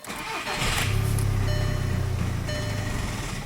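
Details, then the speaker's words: 2009 Volkswagen Jetta TDI, CBEA common-rail diesel: cranks, catches, runs unevenly a few seconds then fades out; starts and dies every time, no engine codes, immobilizer light not flashing, cause not yet found. "It starts and dies every time. Let me show you what it's doing."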